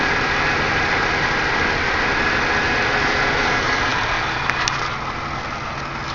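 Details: Buick Regal supercharged 3800 Series II, about 213,000 miles, revved under the hood after the rough idle fix: pulls up smoothly and drops back to steady idle, no stumble, hiss or misfire; running normally.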